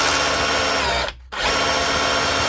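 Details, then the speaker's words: Dewalt DCH273 SDS rotary hammer after repair of a dried, seized hammer mechanism, broken drive connector rod and damaged O-ring, tested in hammer and chisel modes: steady hard buzzing drive with a brief pause, hammering strong and even; fixed, normal operation. "harder sound, and last but not least, chisel mode, hammering away. So I'm calling that fixed."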